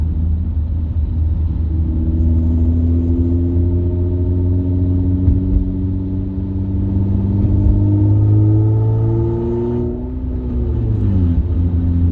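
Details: Car driving home with catalytic converter stolen, around 1500 rpm; deep loud droning rumble swelling and easing with throttle, open exhaust with the cat gone.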